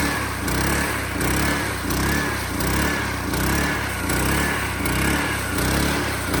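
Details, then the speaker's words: Small-engine sweeper after carburetor cleaning failed and a new carburetor was fitted; steady putter holding even speed with gentle rhythmic swell about once a second, runs cleanly, dialed in. "Oh, it's working. Like you can hear here, it's completely dialed in."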